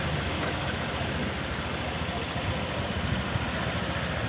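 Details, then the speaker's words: Honda PCX150 scooter after top-end rebuild for hard starting and stalling at idle, valves set 0.10 intake and 0.18: quiet, soft, even idle with no stumbling or hunting, holding idle on its own with no throttle; coolant circulating steadily. "ปล่อยเบรกเลยครับเสียงเงียบๆนะครับเงียบๆเลยไม่ต้องเร่งด้วยนะครับ"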